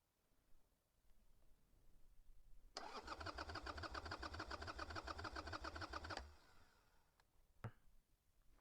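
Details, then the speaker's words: Carbureted Harley Sportster V-twin in neutral: about three and a half seconds of steady starter cranking with no firing or catch; no fuel reaching the carb bowl because the float needle was stuck closed. "Should I check that, right? It's not getting fuel."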